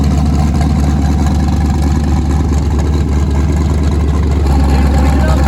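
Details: Nissan 240SX with twin-turbo LSX V8, first start after new turbo setup, out of gear, running on Holley Terminator X wizard base tune, fuel pressure not yet set: deep steady rumble with even pulses, no misses or knocks; normal idle.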